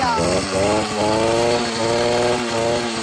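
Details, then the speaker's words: 66cc two-stroke motorized bicycle with high-compression parts, first run after sitting three years: high, buzzy chainsaw-like note revving up and settling into a rapid even beat. Normal running. "Oh yeah. Sounds like a chainsaw. You'll do strokes. He's fun. Well, I'm glad we got it up and running."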